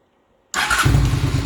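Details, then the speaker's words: Honda Shadow VLX 600 V-twin motorcycle after installing a new battery: silence, then one quick spin and it fires straight away into a steady, lumpy idle; normal start. "after install a new battery this is what it sound like when it turn on"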